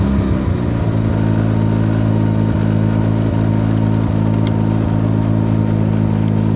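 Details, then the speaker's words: Mazda RX-7 rotary engine with a hard-start problem later traced to slow cranking speed, spark plugs just refitted: loud, low burble settling from a rough catch into an uneven, lumpy idle near three pulses a second, smelling of raw fuel; rough running. "so here we go see how rough it was smells like a lot of raw fuel too"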